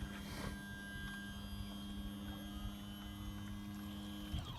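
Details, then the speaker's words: Power trim on a Mercury 150 four-stroke outboard on a 2013 22 ft South Bay tritoon, trim switch held to raise it; steady, even electric motor hum about four seconds, then clean cutoff; normal trim motor running. "and then you can also while you're here you can check the trim switch you can hear that and as I'm holding that down you can see that that outboard is raising up"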